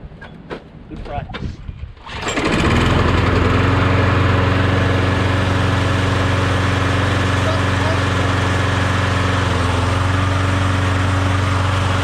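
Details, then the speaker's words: Briggs Quantum mower engine after being swapped onto another mower deck: catches after a couple of pulls, then holds a steady even drone with no misses or surging; normal running. "sounds good really good nice nice"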